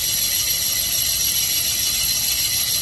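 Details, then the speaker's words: 360 Mopar small-block (Little Red Express truck) on a boring machine, finish pass after roughing bored the crooked cylinder straight and true to crank, about 10 thou out, 5 per side: steady high singing cutter tone with thin sizzle, no chatter, leaving a nice finish. "That cutter's really singing. Leaving a nice finish."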